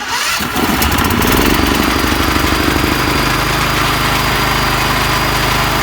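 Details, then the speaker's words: Small petrol generator after a carburetor clean and a valve-clearance check, started from the battery: it cranks, catches within a second and settles into a steady, even run. Normal start and idle. "те що він почортує це його нормальна робота"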